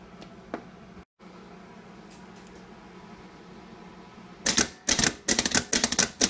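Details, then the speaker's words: Starter for 1928 Ford Model A rat rod, powered up: quiet, then rapid irregular sharp clicks with no cranking; faulty solenoid keeps tripping and fails to pull the magnetic arm back. "so when you power it it should pull the magnetic arm back out here and instead what I was Finding with it is that wasn't happening um in fact it just kept uh trying to trip the"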